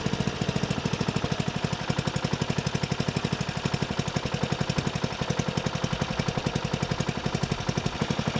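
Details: Murray 12.5 hp 40-inch-cut riding mower that had stopped running, after fitting a new carburetor and air filter: fast, even putter at steady speed, no misses or surging; running good.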